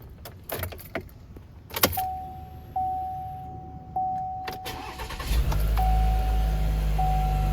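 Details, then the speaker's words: New 2022 Chevy Silverado LTD Custom 4x4, 2.7L L3B turbo four-cylinder, 8L90 8-speed: chimes and clicks, then a quick crank catches and settles into a smooth, steady low idle; healthy normal start. "I'll do a quick startup on this so you can hear what it sounds like."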